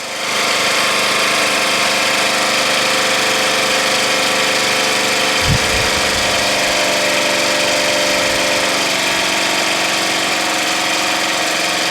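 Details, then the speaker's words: Murray Select lawn tractor with swapped engine, after muffler crack welding and light repair: small single-cylinder engine holding steady, even speed with no hesitation or surging; running healthy. "sounds good engine sounds good doesn't hesitate or surge at all"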